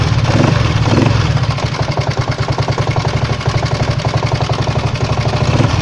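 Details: 139QMB scooter engine at idle: sharp, regular tapping on every firing pulse, a knock that appeared during a ride a few days earlier; source unknown.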